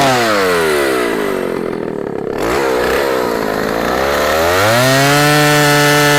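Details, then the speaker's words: 44-year-old vintage Husqvarna L65 chainsaw with points ignition, brought out of retirement, cutting a big oak log; bogs to a lower drone while biting, then climbs smoothly back to a clean high scream. Still cuts well despite its age. "it's amazing how well it still cuts after all it is cut and as old as it is"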